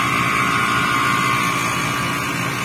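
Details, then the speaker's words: Freezer not cooling, gas charge OK but manifold low-side gauge not dropping after start (about 6.3): compressor gives a harsh loud buzz with high whine over hiss that slowly grows; owner suspects something broken inside, not pumping. "কম্প্রেসারের সাউন্ডটা আপনারা লক্ষ্য করেন আর ধরে দেখেন একটু নিচে যাচ্ছে না। কম্প্রেসারের সাউন্ড আস্তে আস্তে বাড়তেছে। দেখতে পাচ্ছেন কি ধরনের সাউন্ড।"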